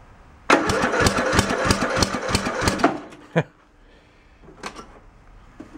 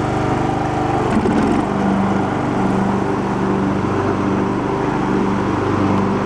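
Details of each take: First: Abandoned Poulan Pro riding mower cranked with its carb fed from a bottle: quick chuffs, brief catch, then sharp pops back through the carb; the valve cover showed excessive valve lash and a missing valve keeper. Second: Abandoned Poulan Pro riding mower, which earlier idled but popped back as if too rich, now mowing with the deck engaged: steady single-cylinder drone at even speed with no stumbles or misses. Runs properly under load.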